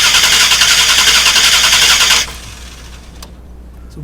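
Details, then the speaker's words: 2000 Dodge Durango 5.9L V8 no-start: steady, even cranking for about two seconds without catching; the spark test shows a very weak spark, pointing to a failing ignition coil. "we have a very weak spark. I don't think the camera even picked that up. That's a problem right there that we need to probably focus on."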